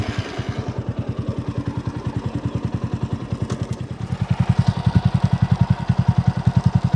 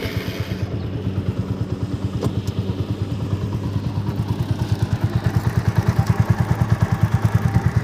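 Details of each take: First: TVS Apache RTR 200 4V after replacing a worn chain-sprocket set at about 30,000 km with new greased original set, engine in neutral: steady even pulses, no rattle or grind from chain or sprockets; normal chain drive. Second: TVS Apache RTR 200 4V BS4 on stand, idling, chain sprocket set worn out after about 30,000 km, front sprocket previously replaced: steady rapid rhythmic knocking about twice a second, loudest at front sprocket; worn chain and sprocket, set to be replaced.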